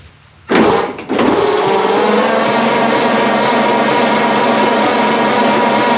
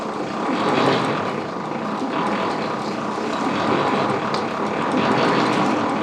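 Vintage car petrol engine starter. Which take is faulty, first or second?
second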